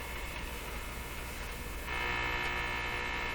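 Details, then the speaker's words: Nordmende Boheme hi-fi tube radio on bench inspection, run at reduced 90 volts: constant low steady buzz from speaker, not the crackle, can't be tuned out; source unknown, radio or external pickup. "not the crackle but the steady buzz i'm not sure i can identify what that is"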